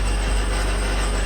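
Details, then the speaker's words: Mitsubishi Evo, starts fine but the moment it's put in gear a harsh heavy grinding roar and deep rumble; owner suspects a bad transmission input shaft, possibly transfer case too, with a transmission code set. "and then comes the scary part as soon as I put it into drive listen to this thank you it sounds really bad"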